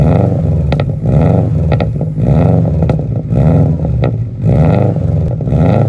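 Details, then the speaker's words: Bugeye UK-model Subaru Impreza WRX STI with rebuilt EJ207 turbo engine (original had big-end rod bearing failure), full 3-inch Blitz exhaust, uneven exhaust manifold; deep lumpy boxer burble with throttle blips, healthy smooth rumble. "So, exhaust system, full 3-in blitz, nurse spec, and it sounds lovely. Uh, typical Subaru noise, uneven exhaust manifold, typical Subaru blue with the gold wheels."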